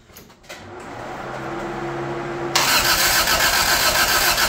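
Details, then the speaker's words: 1985 Toyota Tercel after engine work, with the distributor unplugged and the exhaust not hooked up, cranking to build oil pressure and fill the carb bowls: the starter whirs steadily, then a loud rushing noise, and the engine never catches. Cranks but does not start. "this is just cranking oil pressure building first and fill the bowls then we're going to plug the distributor in and hopefully we got the timing right which we probably didn't because we always get it wrong"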